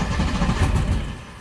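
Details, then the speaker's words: 1999 Johnson 115 two-stroke outboard on a 1999 Wellcraft 190 CCF, first start after about a week unused, throttle about 30–40% with choke on first crank: short low choppy sputter that dies after a second, as expected. "so with the two-stroke you're always going to choke it on the first ignition turn until you hear it's butter it may not start in the first try that's fine"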